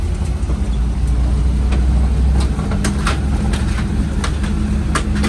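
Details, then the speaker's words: 1973 Chevy K5 Blazer, 350 V8 with 4-speed manual, driven for the first time after sitting about 30 years. A deep drone under way with irregular sharp clacks and bangs; it runs poorly, won't run in second, and smells of clutch. Cause unknown. "Don't know what that is, but it don't sound very good."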